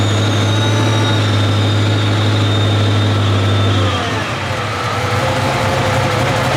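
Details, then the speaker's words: 2014 Ford GT500, 12:1 compression Trinity engine, dyno pull toward 7,000 rpm at 17° timing; strong steady roar stumbles and breaks up about four seconds in, misfire and hesitation under full load, cause not yet confirmed. "so it's still doing the same thing it's still doing the weird misfire"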